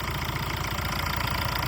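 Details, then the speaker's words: Used diesel car at idle: steady, even diesel clatter with a regular beat and no knocks, misses or injector ticking; the engine sounds healthy. "இந்த இன்ஜினோட note ரொம்ப முக்கியம். இந்த இன்ஜினோட sound பாருங்க எவ்வளவு குவாலிட்டியா"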